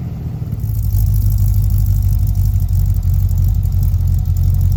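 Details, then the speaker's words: 1955 Chevy truck with late-model GM LS V8, original injectors, temporary exhaust, first run after year-long build, coolant about 187°F: deep even idle, steady low rumble, no exhaust leaks, rod knock or lifter tick; running as it should. "No exhaust leaks. No rod knocks, no lifter ticking, no nothing. Everything is running exactly how it should be."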